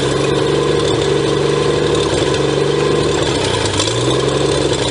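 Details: 1954 Pontiac 239 straight six, left sitting for years, cranking during a fuel pump test: loud, steady, even turning over with no knocks or scrapes and sounds good, but the mechanical fuel pump delivers no fuel; normal cranking.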